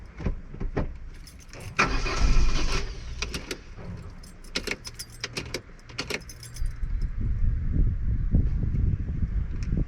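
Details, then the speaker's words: Opel Corsa B 1.4 X14SZ started after restoring its Multec single-point injection (new seals, cleaned injector, new hoses) and priming fuel with several key turns; clatter, then catches into a low, fairly even idle; no engine warning light; normal start. "Et là ça me paraît pas mal et surtout déjà j'ai pas de voyant moteur."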